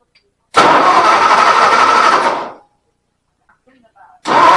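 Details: 272 Y-Block V8 at first start after header work and a Holley carburetor rebuild, bowls filled from the top, no coolant: it catches, runs rough about two seconds, dies and is restarted; fuel delivery issue, owner plans to fit a fuel pump.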